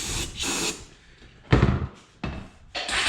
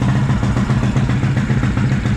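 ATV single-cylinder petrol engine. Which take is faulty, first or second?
first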